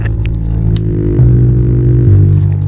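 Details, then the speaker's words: Intex IT 2000 home theatre: subwoofer bass works but both left and right satellite speaker outputs give only constant low hum with no sound, plus handling clicks, even after swapping channels. "इसमें humming आ रही है। अब यहाँ पर output को भी input को भी चेंज कर लेता हूँ, राइट में डाल देता हूँ। अब देखिएगा टोटल मिला के इसके दोनों लेफ्ट और राइट में कोई भी साउंड नहीं सुनाई दे रहा है, सिर्फ हमिंग सुनाई दे रही है।"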